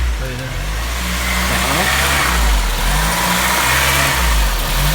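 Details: Honda Civic Type R EP3 started after a year parked: the idle won't settle, with revs rising and sagging every second or two. The idle control valve is sticking; a warm idle should be 1000 rpm.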